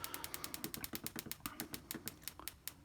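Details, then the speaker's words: Coil-on-plug ignition coil on a bench, triggered at about 5 Hz while the duty cycle is stepped down from 15%: crisp, evenly spaced snaps. Spark intensity changes with duty cycle, but the coil fires a strong, regular spark. "listen to the intensity of the spark as i stepped the the duty cycle down it was at 15 i don't know if you noticed the difference in intensity on the uh on the soundtrack"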